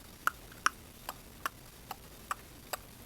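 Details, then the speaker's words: 1934 mantle clock, heard through the rear maintenance door: crisp, light ticks come about every 0.4 seconds, and the movement is running normally. "so it's going i can hear if you stick your ear in the back maintenance door whatever you want to call it you can hear it going"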